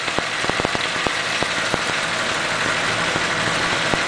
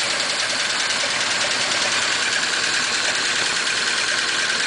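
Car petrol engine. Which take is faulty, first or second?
second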